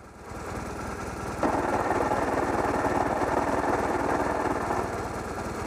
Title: I don't think it's supposed to sound like this.